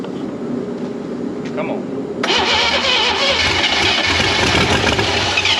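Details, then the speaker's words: Left-for-dead Chevy inline six (230 or 250, uncertain), first start with ignition hooked up and carburetor bowl filled: it catches into a harsh, uneven run with a scraping rasp; the flywheel seems to rub something, sparks fly from the bell housing, and a base gasket leak is suspected. "the flywheel seems to be rubbing something got a massive base gasket leak or something but it runs doesn't run good nope but it runs"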